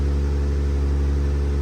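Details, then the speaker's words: 2012-or-later Jeep Wrangler JK 3.6 after misfire repair with new wiring harness: steady, even low idle hum with no stumbles or skipped beats, misfire gone, problem solved by the harness. "ahí así es que problema solucionado con la cablería"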